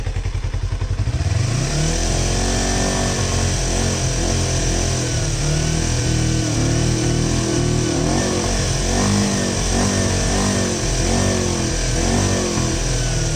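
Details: 1988 Kawasaki Ninja 250R 250cc inline twin, after carb and intake valve cleaning: settles to a steady idle, then clean throttle blips rise and fall smoothly; healthy revving.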